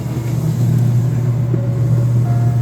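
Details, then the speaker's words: Motor after replacing faulty drive that caused a 24V control short: steady low hum, even unbroken tone, no crackle or buzz; runs smoothly; normal motor running after repair. "이거는 삥삥삥삥. 잘 돌죠."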